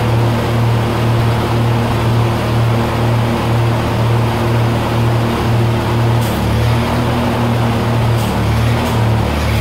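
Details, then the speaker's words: 1948 Lincoln SA-200 welder engine, revived with little work, now with a short stack with resonator pipe: a steady, low, even, quiet idle with a soft regular beat and no knocks or misses. Normal idle. "it's got a short stack with a resonator pipette which I will say it's it's actually pretty quiet"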